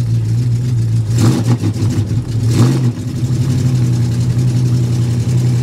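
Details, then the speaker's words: Cold start at about 11 degrees outside, surprisingly firing up, with oil pressure over 90 psi: a steady low idle with two quick, clean throttle blips that rise and settle smoothly. Normal cold-start revving. "It is cold. I'm honestly surprised that this thing fired up like it did. I didn't think that was going to happen."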